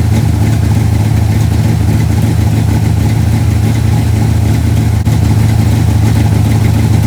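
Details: 1968 Dodge Dart GTS pro-street V8 with tunnel ram, first cold start of the season: a loud, lumpy idle that stumbles slightly because one plug wire fell off the distributor, causing a miss. New wires are probably needed.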